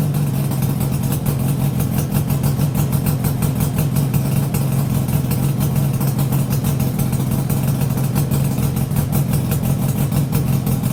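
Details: Yamaha RD350YPVS F2 two-stroke, first start after full rebuild (bearings, seals, rebore), plugs loose on first run: steady even idle, smooth low burble with fast regular crackle, no knocks or rattles; nice and quiet now.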